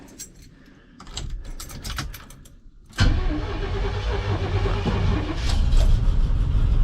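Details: Old GMC truck with small block Chevy, likely throttle body 350, and 4L80 transmission, started cold after trailering: keys rattle, engine cranks once and catches at once into a steady, even idle; a healthy start.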